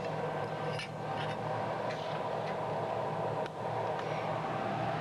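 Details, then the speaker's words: MIG (GMAW) welding of thin carbon-manganese steel plate, wire speed raised slightly for short-circuit transfer: steady, even crackle and fine sizzle with only occasional pops and little spatter. Normal, well-balanced arc. "that's a nice balance added world in condition so it'd be quite a flat world be very little spatter on this material"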